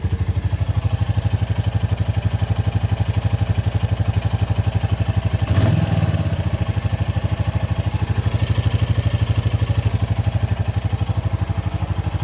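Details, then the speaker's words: 2024 Royal Enfield Bullet 350 single-cylinder just after valve clearance adjustment (0.15 mm clear, 0.20 mm not): steady even thump at idle, only light tappet tick, no knocks or misses; normal idle. "That all sounds good. [Music] Oh, sounds good. Sounds really good."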